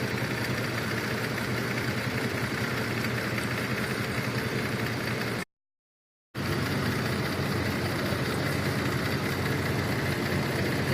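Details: 2004 Cadillac SRX 3.6 at idle: rough, uneven lumpy beat about three to four times a second over a steady hum; scan shows misfire counts on cylinders 1 and 3, cylinders 2, 4, 6 at zero; intermittent injector problem, injector 1 code.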